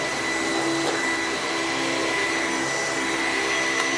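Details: Sebo commercial upright vacuum plugged in to check it still runs: even, steady motor whine with a constant high tone, no rattles or surging. It runs normally.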